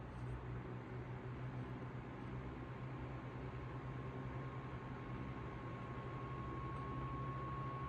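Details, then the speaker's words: 1955 Emerson 77646SL 12-inch desk fan at medium speed. A soft steady hum with a thin, even high motor whine over the air noise; the owner likes this whine. Normal, healthy fan motor. "I like the motor whine this one has. 1 year newer than this one. Again, here's medium speed."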